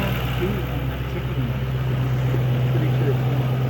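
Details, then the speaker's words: 2007 Ford Mustang engine after fixing stalling, loss of power and misfire: steady, even smooth idle with no ticking or stumbling, after replacing fouled and broken spark plugs; ticking noise also gone. "What do you think, man? It's great, man. It sounds so smooth. I love it."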